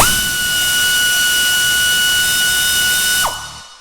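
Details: Husky 3/8 air ratchet (compared against a Central Pneumatic 90-degree air drill), about a foot from the meter reading 88 dB: spools to a clean steady high whine about three seconds, winds down smoothly; normal running.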